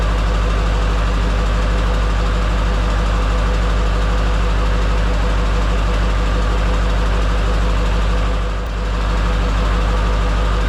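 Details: Duramax diesel in a C10 after fitting a used replacement injector: steady idle with an uneven, lumpy beat about three per second, one cylinder not firing; cylinder cutout shows number 3 still dead, owner wonders if both injectors are bad.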